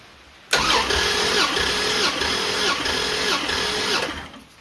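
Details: Turbo Dodge Diplomat, cylinder 1 baseline compression test with all plugs out and fuel disabled: steady even cranking pulses, about 160 psi; cylinders 4 and 6 are suspected low.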